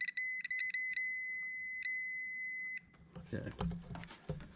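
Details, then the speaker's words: Old Stihl 041AV chainsaw that ran but wouldn't shut off, ohmmeter continuity test of stop switch to spark plug nut: meter beep cuts in and out in broken bursts; intermittent stop switch, dirty contacts suspected. "so what I'm doing is I'm putting I'm touching the other terminal basically to this metal nut and you can hear it's very intermittent which whenever you hit the stop button it start spitting and"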